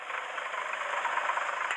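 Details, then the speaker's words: Hillman Imp, warmed-up idle: light, quick knocking at first thought to be bottom end; stethoscope shows no engine rattle, the worn water pump is the source. "So I started this morning and let it heat up, and we're getting a bit of what I thought was a bottom end knock, but I think it's the water pump now."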